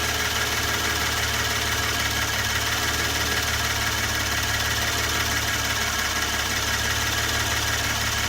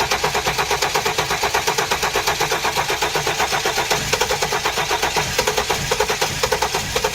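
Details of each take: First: 2016 Hyundai Genesis Coupe 3.8 L, during scope testing of injector and crank/cam signals (accident and flood auction car, or an identical reference car): smooth, even idle with a steady low hum, no knocks or misses; it runs cleanly. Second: Flood-damaged 2016 Hyundai Genesis with original ECM reinstalled and no codes: steady cranking chug, about five compression beats a second, for over seven seconds, never catching. Crank no start; the crankshaft sensor signal looks suspect.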